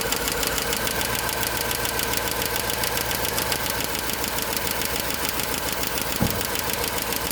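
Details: GM 5.3 V8 with AFM, valve cover off, idling: a fast, sharp clatter of about three ticks a second. A collapsed lifter leaves the rocker arm on cylinder 6 with excessive play, after repeated lifter, rocker and pushrod replacements.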